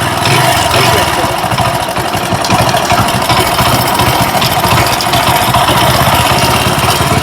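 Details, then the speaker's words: Hero HF Deluxe single idling with loose, busy metallic clatter over the firing beat; timing chain broken/worn, to be replaced. "मैं आपको सूचित करना चाहता हूं कि यह बाइक टाइमिंग यह सिलसिला टूट गया है। यह हो चुका है।"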